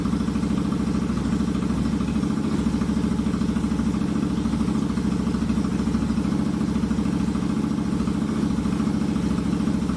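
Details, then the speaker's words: Royal Enfield Continental GT 650 twin at idle in neutral, just after a valve adjustment and first oil change; fires right up, steady, even idle with a smooth, regular beat and no ticking or knocking; sounds healthy. "All right, it's in neutral. Here we go. Fire right up."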